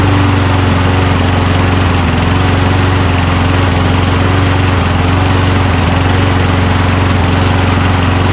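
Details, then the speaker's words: Toro Recycler Personal Pace push mower built from two broken units: steady, even engine note with no misses or surging, at about 2,800 rpm where about 3,200 is expected; normal running. "I'm not gonna lie, I'm pretty surprised that it runs."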